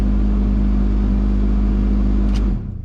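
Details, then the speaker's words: 2004 Saab 9-5 Aero, about 231,000 miles, cabin blower motor on high: loud steady hum and drone, stopping dead when switched off; noisy blower, worn bearings suspected from age. "so loud. So apparently the bearings on these blower motors do go bad after some age, and obviously this car is aged."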